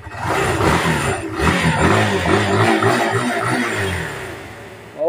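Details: Barako motorcycle engine, previously firing but not starting, runs steadily and picks up cleanly on throttle blips after replacing a blown gasket.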